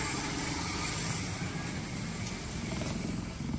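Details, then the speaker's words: Suzuki Esteem 1300cc after carburetor service, engine not yet fully warm, AC switched on: low, steady idle holds even without stumbling or dropping, and rpm should rise with the AC on; normal idle with AC on. "Coba kita hidupkan AC ya nanti Saat AC hidup RPM harus naik ya temen-temen Enggak boleh drop enggak boleh turunnya"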